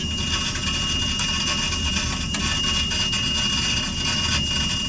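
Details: Oil burner being bled after running out of oil, control jumpered so it won't shut off, 150 gallons being added: steady even roar with high airy hiss, no surging or cutting out; firing continuously.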